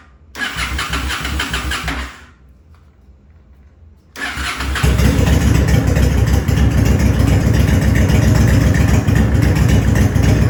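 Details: 2007 Honda Shadow V-twin, starting with carburettor air intake restricted: short crank catches and dies, then a second try fires into a lumpy idle; hard starting, won't start without choking the intake.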